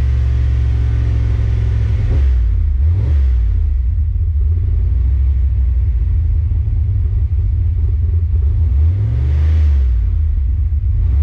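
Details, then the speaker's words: Fox body Mustang on a Holley ECU after TPS auto-set calibration: strong even rumble with clean revs, idling without stumble; rough running fixed, normal running and revving. "That fixed the problem. So now the computer knows the exact throttle position on the car, and that should fix any rough runnings that we had."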